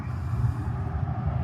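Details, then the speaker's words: OutEquipPro 12V rooftop AC on battery and solar, set to 63 on low fan: steady low even whooshing hum from the top condenser fan, no rattles; normal condenser fan running. "Oh, I hear it. I hear the the fan on the top running."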